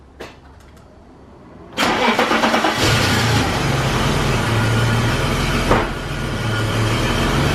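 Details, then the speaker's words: 1991 BMW 735iL E32 M30B35 after valve adjustment, new cap and rotor: quick crank, catches cleanly, settles into a steady even idle with a raspy note from an exhaust leak; runs smooth and healthy. "Oh yeah. Sounds pretty good."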